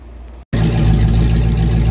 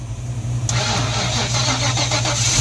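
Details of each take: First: 1994 Ford Mustang GT convertible V8 idling with an open H-pipe: a loud, deep, lumpy burble with an occasional uneven beat, a slight engine miss made more noticeable by the open exhaust. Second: 1994 Ford Mustang GT convertible V8 with a dead battery (trunk light left on 4 days), jump-started on a second try: the starter cranks in even pulses for about two seconds, then it catches and settles to a steady rumble, starting normally.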